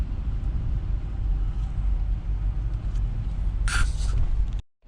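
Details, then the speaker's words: 2020 Jeep Gladiator Rubicon, 40k miles, idling after a 4–5 minute drive following a multiple-cylinder misfire fix (dead cylinder 2); steady low V6 rumble with faint unevenness, no knocks; idles a touch rough, possibly because the reset ECU is readapting. "Just looking at some data here, and it, you know, if I was picky, I would say it idles a kiss rough, but I think it's idled like this before when I drove it."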